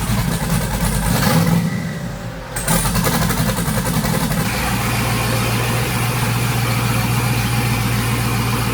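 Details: Twin-turbo Chevrolet Silverado, restarted after being lowered and refuelled while chasing a rich-running problem that the owner says is not tune-related. Low, loping, uneven idle that won't settle. Rough idle; the cause is not confirmed.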